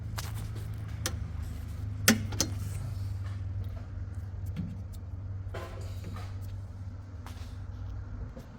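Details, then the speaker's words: LG top-loading washer on spin cycle, drum not spinning while the pulsator turns: low hum with sharp clunks from the drain motor catching and suddenly releasing; the drain motor has failed, and replacing it fixed the problem. "and from the drain motor it's uh catching and again suddenly releasing that's mean it's it's gone already because of that only I told you it should be replaced"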